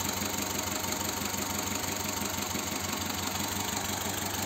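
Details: Petrol engine idling with the car stationary, running unevenly with a loose, shaking beat from a misfire in one cylinder; the injector is to be checked during the diagnosis.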